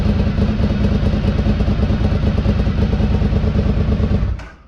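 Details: 2003 Honda RC51 SP2 V-twin, first start after repairing rodent-chewed wiring to the harness and sensors. Lumpy, even off-beat idle at about 1,000 rpm with no rattles or top-end clatter, then shut off. Normal idle.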